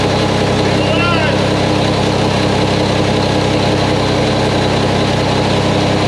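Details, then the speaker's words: Mack truck diesel, first start after engine reassembly with new parts, fluids checked: steady, deep idle with even beat, no knocks, misses or rattles, nothing leaking; running smoothly. "well Bill she sounds good I don't see anything leaking"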